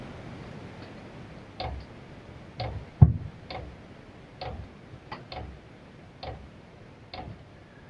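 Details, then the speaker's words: Cheap Chinese diesel heater at a cabin during startup, display showing H6 and the fan not yet running. Soft regular dosing-pump ticks about once a second over a quiet room as it tries to light; startup is normal. "or it's pumping so it let it do its thing here and I'm told the draw on these when it's trying to light up is going to be uh quite a bit more than when it's running"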